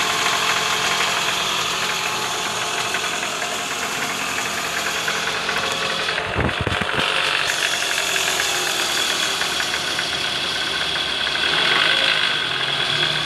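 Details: 2009 Toyota Alphard ANH20, 2AZ-FE engine: harsh, gravelly rattle from below the engine near the oil pan at idle in neutral, worst on cold morning starts and easing when warm; balancer shaft worn with play at gear no. 1.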